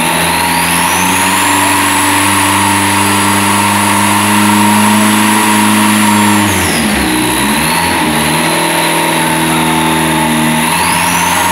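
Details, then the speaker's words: Seat 124 turbo rally engine, first start, setup still unfinished with parts missing: revs held, dropping back and rising with an uneven, stumbling note. Rough running, a misfire attributed to the incomplete setup. "hijo de puta, cómo suena, ¿eh? Falla porque falta un poco de cosas, está empezando."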